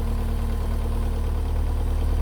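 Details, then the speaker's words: Car idling about 15 minutes, nearly at temperature, after O2 sensor replacement with downpipe dropped: low, steady idle with even firing and no ticking or stumbling; penetrating-oil smoke off the manifold gone, no engine warning light; sounds smooth and healthy. "and um smoking's gone the manifold which is good which sounds really good sounds smooth this all sounds"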